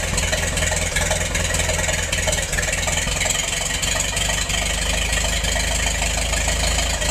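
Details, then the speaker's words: Massey-Harris 44 tractor, engine once stuck, sat 30 years, then stored 10 in a trailer; after the stuck intake valve repair and rocker fix, started with a shot of starting fluid: loud, steady, even running with no misses or knocks, normal. "I guess that's not too awful bad for a tractor that sat for 30 years before I got it."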